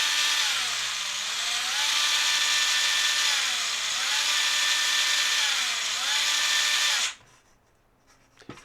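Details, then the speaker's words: Tamiya Fighter Buggy RX #58184 after a fix for its dud first channel: a clean, high motor whine rises from a little throttle to full throttle and falls for about seven seconds, then cuts off. The motor and ESC are healthy. "And give it a little bit of throttle, and then more. That's full throttle right there."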